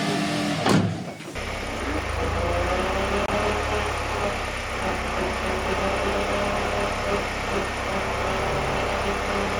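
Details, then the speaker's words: Ford Fiesta ST150 on first start after installing a used clutch: engine settles to steady idle with a faint rough grind underneath, grinding persists as car moves; source not pinned down, power steering pump suggested. "That sound bothers the hell out of me, dude. >> Yeah. It's a grinding."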